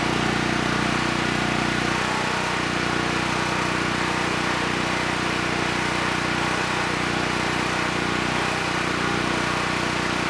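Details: Honeywell 7500E generator bought as parts-only, after carburetor work and fitting the air filter, started on the first pull: steady, smooth drone with no hunting or misses, so the carburetor is judged good.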